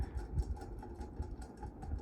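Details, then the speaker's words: Mistralaire MCFA48 1200mm industrial ceiling fan running around medium speed while wobbling: low rumbling hum swelling and fading unevenly with a rough rubbing undertone from badly worn bearings. "noisy good thing nobody Sleeps in this room because bearings are horrible"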